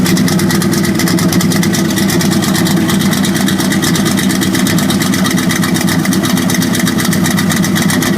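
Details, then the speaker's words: 1978 Camaro V8 idling: sharp rapid metallic ticking over the rumble, with smoke from the left side. Bad lifter and worn camshaft, left side of the motor damaged. "So the left side of the motor is damaged. You can hear the ticking."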